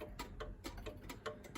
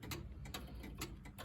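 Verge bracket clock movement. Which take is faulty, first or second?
first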